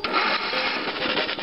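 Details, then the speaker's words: Abandoned free lawn mower cranked electrically from a battery charger, with the spark plug removed and penetrating oil added for possibly stuck valves: a quick, even whirring spin with no drag. The earlier drag was compression, a good sign. "Oh, I like that better. So basically what was dragging it down was the plug, which is the compression, which is a good thing."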